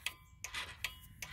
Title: clicking and no start